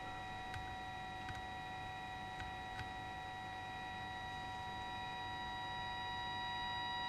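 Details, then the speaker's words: Jaws Mark 2 CB radio with no TX or RX, during receive-coil alignment: steady high whistling test tones with soft clicks grow louder as the coil is tuned; signal strengthening. "oh it's getting louder oh look at this look watch this meter when i do this ready"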